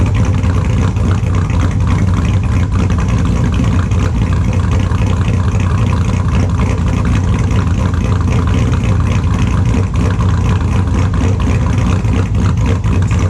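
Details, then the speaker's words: 2002 Chevrolet Silverado with an LS engine, idling in the shop after a cold start: extremely loud, deep, steady idle with a lumpy cam beat and all cylinders firing evenly; normal idle. "Tell me what you think about that. It's really loud. It's extremely loud."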